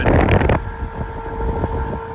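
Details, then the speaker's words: Fan motor in an HVAC unit on a service call, just after the system turns on: a steady hum with a gritty rumble from bad bearings, far louder than the neighboring unit; it seems to drop voltage intermittently. "pretty bad bearing noise going on in there so um I mean we've got one right next to us we can compare A lot quieter"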